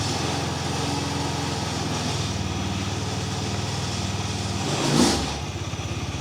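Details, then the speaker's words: TVS Ntorq 125 scooter at idle during a used-bike inspection: steady single-cylinder idle with a light, fast ticking; lifters noisier than they should be, engine otherwise sounds good. "motorun sesi güzel biraz lift lift de ses yapıyor beğenmediğim sesi Yani liftin liftin daha çok ses yaptığından dolayı"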